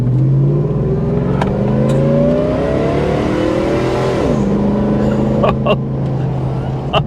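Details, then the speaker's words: Hummer H2 truck with Whipple supercharger and 35-inch mud tires, on road drive around 45 mph: rising engine note with climbing supercharger whine that drops at each shift; normal supercharger whine under acceleration, shifts well. "That Supercharger whine, though. And she was getting it, man. She was moving."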